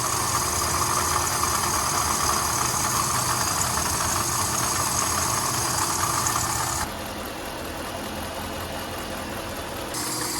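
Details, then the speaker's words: Jeep Grand Cherokee Trailhawk after replacing a leaking water pump that caused a rattle, before any overheating: engine idles evenly with a steady hum and soft regular pulse, no rattle or knock; normal idle after repair. "we kind of caught it before it completely went out so let's turn the car on here we'll start it up and see if you guys can tell a difference in the sound"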